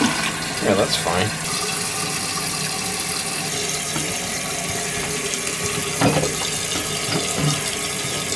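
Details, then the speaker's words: Large-flush, high-usage toilet that kept running. Water rushes evenly into the tank with a soft hiss and no hammering or endless trickle, shutting off at the set level with no leak: the fill valve refills properly. "fine usually wants to be like 3/4 of an inch down and I'm fine with it right where it is she shutting off she's not leaking she's good right there"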